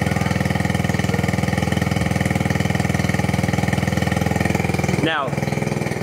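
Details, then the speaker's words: 1969 Honda Z50 Mini Trail barn find, long unrun, choke halfway after warming up: quick, even put-put idle with no stumbles or misses; it just needed to warm up. "okay well it's running better than it was oh look at that she just needed to warm up"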